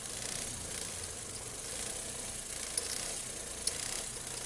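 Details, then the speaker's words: Noisy accessory belt on an idling engine: steady thin high-pitched hiss and chirp that stops when water is thrown on the belt, showing the noise is only dirt on the belt, not a bearing. "ó parou tá vendo agora só sujeira na Correia mesmo"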